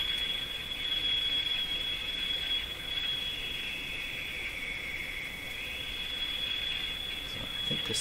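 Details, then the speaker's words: Sparton Model 5049 AM tube radio during IF trimmer alignment: steady piercing high whistle over soft hiss as IF gain is pushed until it feeds back on itself; owner suspects weak capacitors, not confirmed. High-pitched oscillation squeal. "so I think what's happening here now is I'm increasing the effectiveness of the iaf to the point where it's beginning to feed back on itself that could be indicative of weak capacitors"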